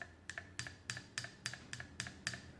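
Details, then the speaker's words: Brunsviga Midget Model MA mechanical calculator (about 1910?) under repair, carriage in home position: quick metallic clicks three to four per second with only a thin short ring; overflow/underflow bell rings weakly, no clapper engagement found, cause unclear. "and that kind of rings the bell a little bit it's not real great but um so that sounds like that's what's going to ring on or phone underflow"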